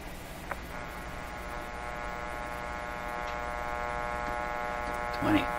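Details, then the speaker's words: 1925 Magnavox Type D TRF radio on bench supplies, detector B+ raised to about 20 V: steady low hum with even overtones through the speaker and no station; one power supply is putting hum into the audio. "shouldn't sound like that though one of my power supplies is coming with a hum let me knock down the b the main b plus and just see if that disappears"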